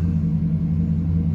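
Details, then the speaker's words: 2008 Chevrolet Silverado V8, almost 120,000 miles, during the 3-minute idle relearn after replacing the throttle position sensor for a check-engine code: a deep, even rumble with slight up-and-down but no erratic idling. Normal idle. "it sounds like a normal idle I don't know you don't really know to start driving I mean I've it hasn't idled erratically at all it's just a little bit of up and down but that's kind of normal too"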